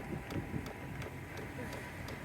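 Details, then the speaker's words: Cheap Amazon Vevor 12V diesel heater warming up; the fuel pump's light regular ticks, about three a second, are heard over the idling truck, normal dosing pulses expected to calm once warm. "that's the fuel pump so you can hear that ticking in there that's the fuel pump in there it should calm down once it's uh a bit warmed up I'm hoping"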